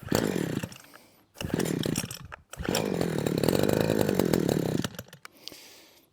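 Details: Husqvarna 123HD60 hedge trimmer, unused for a long time: two-stroke catches in short surges that die away and restart unevenly, never settling; rough running, suspected poor fuel delivery from carburetor diaphragm.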